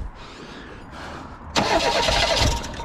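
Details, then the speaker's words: 1988 Reliant Rialto that would not start, cranking at full throttle on brake/contact cleaner: steady cranking then a sudden loud burst of uneven firing that nearly catches and fades; suspected fuel starvation, engine almost catching. "wants to go don't it"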